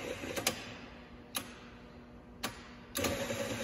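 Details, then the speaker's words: Starter motor on a bench, wired straight to a battery, current watched on an oscilloscope: four or five sharp, irregular clicks over four seconds with no cranking whir. The solenoid clicks but the starter motor doesn't spin and draws no current. "you can see there it didn't even draw anything when the starter just clicks that's just the solenoid clicking like that but the starter motor does not actually spin so it does not draw any current whatsoever"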